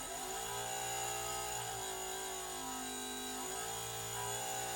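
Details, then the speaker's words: Model A Ford horn, miked, adjusted so it no longer clicks and the motor just spins without sounding, unused for a while: steady electric whir, speed drifting slightly as it settles; normal horn motor spin. "Uh which means that the motor is just going to spin and spin. It's not going to sound the horn."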